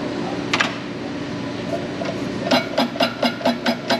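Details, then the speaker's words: Injector pop test at about 90 bar on a 1939 Caterpillar D4 D4400 diesel: crisp, even chatter bursts about four per second, clean and regular. A leak test shows only a slight, allowable sweat, so the injector is healthy. "that sounds pretty healthy too"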